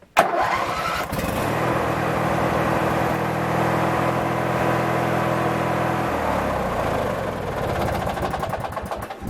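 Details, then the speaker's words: Craftsman 19.5 riding mower during ignition switch replacement; catches and runs with steady mid-pitched hum, revs change; it only starts once the key is released from crank, owner suspects the ignition switch. "the only thing I found to be really odd is that it will start when you let off of the crank otherwise you'd sit there and crank it and crank it and crank it and it won't start second you let off it'll start"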